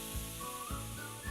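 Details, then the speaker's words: Indesit fridge: soft hiss with faint whistling and gentle surges about every half second, normal refrigerant gurgling and hissing as it changes between gas and liquid, louder when the fridge is new; nothing wrong. "gurgling and hissing. Again, a normal part of the cooling process, especially if your fridge is brand new."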